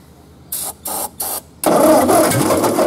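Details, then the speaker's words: Ford 8N tractor that sat in a field for 7 years with its intake and exhaust manifolds open; spark is confirmed and starting fluid was sprayed into the carburetor. After three short cranking bursts it catches and fires roughly with an uneven beat, sputtering rather than settling to idle. "oh hear that try it again yep I think it's going to run"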